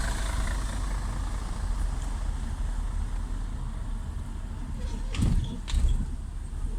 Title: Sound of bad bearing with clearance in hub bearing) صوت البيرنغ إذا خراب مع فضاوه في ال hub